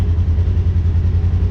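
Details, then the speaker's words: Polaris General XP 1000 after thermostat replacement for overheating, warm idle with the cooling fan running after it kicked on at 194°F, temp dropping to 189; deep, steady idle with even throb and faint fan rush, healthy, so the thermostat works. "It just, even though the fan is running, you can hear that, or nah, you can't see it, but the fan's running, the temp is dropping, so that thermostat's working."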